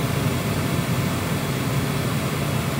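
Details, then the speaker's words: Ford Fiesta ST150 after replacing the worn-bearing blower motor and the resistor pack: even, smooth rushing air from the heater fan with no grinding or scraping. The blower sounds healthy; fixed. "oh that's so much better i can't believe that's actually fixed it no not that grinding noise anymore that's that's great i'm so happy with that"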